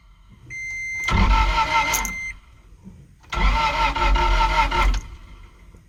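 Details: 2008 Toyota Tacoma tow vehicle with P0335 code: two cranking bursts, starter spins the engine evenly but it never fires; crank no start.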